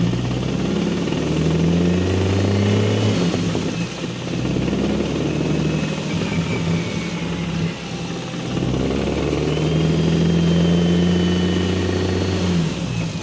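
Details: BMW N54 single turbo at 17.5 psi, after index 12 injectors and a new tune, gives a loud uneven knock over the revving engine after the first pull; metal in the oil filter suggests a likely spun rod bearing.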